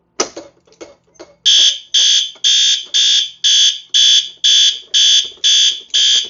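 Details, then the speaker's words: Yearly fire alarm system test, garage horn at maximum volume: very loud, shrill horn pulsing about twice a second, evenly spaced; panel codes the garage zone to march time since the LCUs only do code three. "And yes, that's right. The garage is coded to march time. Now, the the the the LCU's can't actually code themselves to march time. They only do code three. And so, the panel is actually the one doing the coding for this."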